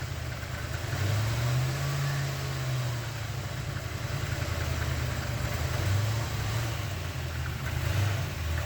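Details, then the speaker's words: 1988 or 1989 Corvette C4 V8, long-sitting, first start after rewiring a reversed connector, before setting ignition timing: low, lumpy idle surging and sagging unevenly every second or so, never settling; engine misfiring. "Well, it runs. Doesn't sound like the happiest thing on earth, but let's see what happens once it runs a little bit and actually gets some life back in it. Okay, it's kind of running. It has a misfire to it."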